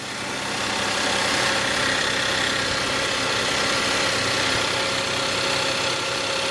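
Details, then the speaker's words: Audi A5/A6 3.2L first start after major repair for internal coolant leaks: smooth, steady idle with even hum, no knocks, misses, vibration or engine lights; normal idle. "all right guys so you can see it started double check again make sure no fluid leaking out or smell or anything"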